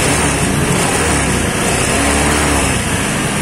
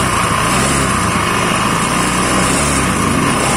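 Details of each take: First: Honda Scoopy carburetted scooter after CVT service for a rough, noisy CVT complaint: engine pulls up smoothly with even drone and no rattle or judder from the belt drive; transmission now sounds smooth. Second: Honda Scoopy carburetor model, G2 series: harsh, gravelly rattle over the engine drone as it revs; rough-sounding CVT.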